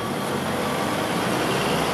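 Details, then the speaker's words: 1964 Ford Thunderbird 390 big-block V8 idling, listening at the exhaust outlets: soft, smooth exhaust rumble with even beat, no popping or ticking; very quiet by design, healthy. "c'est très doux et c'est voulu, hein, c'est comme ça."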